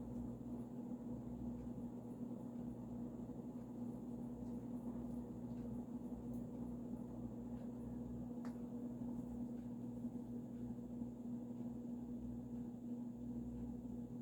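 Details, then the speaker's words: Vintage Supreme Mark II 52-inch spinner ceiling fan, early 1980s, variable speed control backed down about an eighth turn: steady low electrical motor hum at even pitch with soft air rush; normal at reduced speed. "Back it down about a quarter of a turn or so. More like an eighth, actually. And you can start to hear that motor hum."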